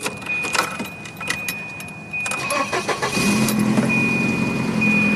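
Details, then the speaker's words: 1990 Volvo 240 DL starting: key rattle, then raspy puffing idle from an exhaust leak located underneath the car; it also backfires, but otherwise starts and runs well. "start it up you can hear that exhaust leak"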